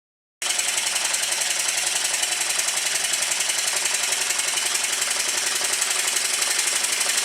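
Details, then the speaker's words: Stuart triple-expansion model steam engine, being run in on the bench on a rubber mat after setting the low- and high-pressure cylinder timing: light, quick, even chuffing and ticking at a steady speed with no knocks or misses; it runs smoothly. "noise well that's good I run it to this speed for quite a long time and nothing's fallen off yet"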